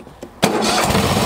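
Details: Troy-Bilt lawn tractor, hard to start since new, after choke and throttle linkage adjustment: brief crank, catches at once and settles into a steady, even run; normal clean start after fix.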